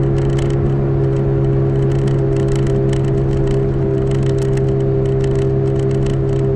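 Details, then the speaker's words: 2005 Toyota Matrix AWD driving at constant speed: steady low hum and droning howl over road noise from the rear, seemingly driver's side, despite both bearings already replaced; suspected rear wheel bearing, unconfirmed. "i guess you can hear it and the plane was howling like an airplane in the back you can hear that"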